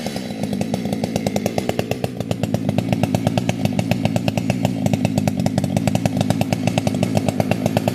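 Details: Fully built 60cc chainsaw, opened-up intake, tuned with ignition advance, started with no choke or high idle: crisp, rapid firing holds steady and even, no stumbling or surging; well-tuned two-stroke running clean.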